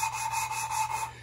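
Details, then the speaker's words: 1974 Triumph TR6 valve lapping with fresh compound under very light pressure: sandy, gritty rasping in quick back-and-forth strokes, about five a second, then fading. The valve is lifted now and then so pushed-out compound flows back onto the seat. "the noise is pretty sandy but every once in a while i lift it so the compound that was pushed out it comes back in"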